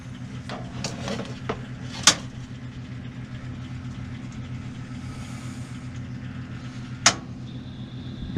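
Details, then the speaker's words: Whirlpool Duet WFW96HEAC0 front-load washer after replacing a broken motor rotor bolt and clearing the pump, run without its cover: drum spins up with a steady low hum, no banging or scraping as before. "it starts to spin spinning this is way better before it was so noisy you couldn't even be in here"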